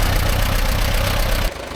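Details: 1945/1946 Allis Chalmers Model B tractor, magneto ignition, barn-stored about 20 years, after dirt was cleared so fuel could get through: strong, even low-pitched chug with a steady beat and no knocks or rattles, then it drops off; running sweet.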